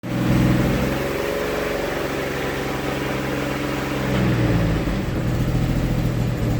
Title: GM 3800 Series 3 running rich and misfiring